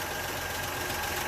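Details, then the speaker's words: 1962 Rambler American 400, listened to via wooden dowel stethoscope and phone held to engine: steady idle with rough growling hum and faint thin tone; very loud alternator, worn bearing. "I think I figured it out. My alternator is very loud."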